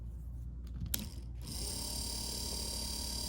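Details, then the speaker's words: Rebuilt seized Porsche 944-type (924/928/951/968) windshield wiper motor bench-tested on power; after connection clicks it spins to a steady even high-pitched whir through high and low speeds, no grinding, working normally. "High speed, even higher speed, and then the green is low speed. There you go, guys. She works"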